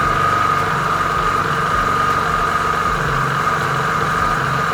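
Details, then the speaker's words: Piaggio Vespa 50 LX two-stroke scooter, first cold start after carburetor adjustment, no throttle: small steady, even buzzing idle with no misfires or stumbles, a healthy start before it warms up. Normal idle. "Хорошо завелся, без газа, без ничего. Сейчас прогреется и буду дальше собирать, потому что проводку тут разбирал и так далее."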